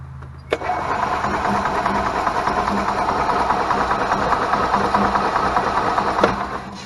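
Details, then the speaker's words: 2001 Club Car DS golf cart with Kawasaki engine: starter spins the engine with an uneven chug for several seconds but it never fires; spark tester shows no spark, traced to a failed RPM limiter rather than the coil. "all right guys so we see that there's no spark there could be a couple of different things that could be"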